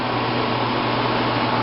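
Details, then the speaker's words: 1995 Fedders window air conditioner, fan only on high speed, heard indoors: steady even whoosh of air with low hum, no rattles or scraping; still quiet, normal high-speed fan operation. "okay so now here's highp speed with just the fan only still pretty quiet"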